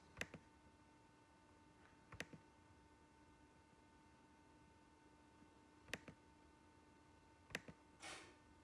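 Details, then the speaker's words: Audi/VW V10 TDI, bank 1 turbo control module during output test (codes P1952/P1953, rebuilt turbos under 10K km, vanes stuck at 6%): quiet room, sharp spaced actuator clicks as it moves; control module fault confirmed. "so you can hear that moving right now um where on earth do i want to be here right now right here is that you actually do have a control module fault"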